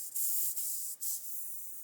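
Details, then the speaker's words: G-Hack 98 dual-action airbrush, 0.38 needle, on compressor: steady high hiss with brief dropouts as air leaks at a cheap mismatched female quick coupling on the hose; air leak at coupling. "The air is leaking from here. The reason is is this female coupling is not um gallery."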